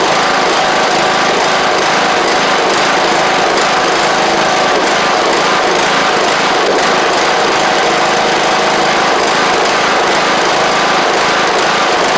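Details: John Deere LA100 riding mower (5-speed transaxle), sat a long time with water in the tank and hard starting blamed on valves, now running off choke: steady high single-cylinder buzz settling into an even run, no misses or tapping; spark plug is suspected to have failed.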